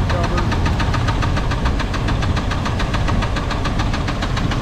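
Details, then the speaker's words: Small-block Chevy V8 with rod knock, listened via broom handle on oil pan side: sharp regular knock about five or six a second riding over the engine, quickening and louder with rpm; most pronounced on that oil pan side. "right there we have it it's on this side of the oil can I can hear it more clearly it's more pronounced there"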